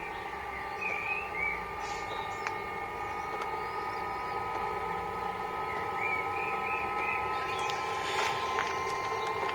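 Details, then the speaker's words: Camper van's under-floor Webasto heater and instant water heater, burning a frying-oil and petroleum mix, recorded from outside with no exhaust silencer fitted yet: a steady low hum and faint whir of the pumps; running normally. "Donc là, je viens de mettre en route mon chauffage et mon eau chaude. Voilà. Voilà, c'est parti. Vous voyez, ça chauffe. Allez, on retourne au camping-car. Pour le bruit, vous voyez, voilà ce que ça donne d'extérieur."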